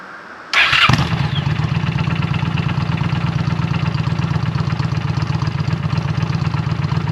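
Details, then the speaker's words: Just-bought 2009 Honda Shadow Spirit 750 (VT750C2) shaft-drive V-twin with Cobra exhaust, first fire-up: catches at once and settles into a steady, even loping idle, throatier than stock; normal cold start and idle. "Sounds a little bit throatier than stock with the Cobra exhaust on it. All right, that sounds nice."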